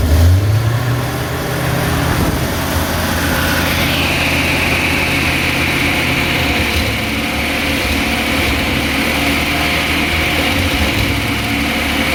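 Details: 1966 Chevy G10 van carbureted engine, first run in 30 years after sitting in a shed, fed from a separate fuel tank through the fuel pump: steady low even idle, no knocks or misses; runs well.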